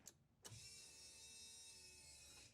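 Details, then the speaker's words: 1988 Ford Escort with refurbished Bosch K-Jetronic metering head refitted after long lay-up, fresh fuel added, key on without cranking: steady high electric buzz about two seconds, then cuts off. Fuel pump priming normally. "Just like prime it a couple of times without cranking it."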